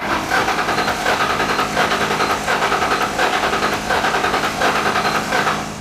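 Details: Long-abandoned 1997 Ford Mustang GT first start attempt: starter churns the engine over in a quick, even rhythm but it never catches; likely low fuel pressure, as fuel pump must build pressure first; cranks but won't start.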